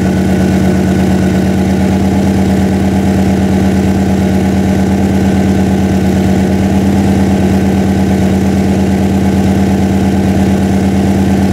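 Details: Freshly built 406 small-block Chevy V8 in an S10, first run during break-in: deep even rumble at steady idle with a smooth regular beat, no knocks or misses; normal idle.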